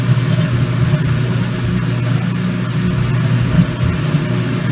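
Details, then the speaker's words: Kenmore Laundry Center washer on normal regular cycle, cold water, large water level, after draining: steady, even low hum with no knocking or grinding as spin starts normally. "Now the waters are empty out of the tub. So it should sit here until it's engaging."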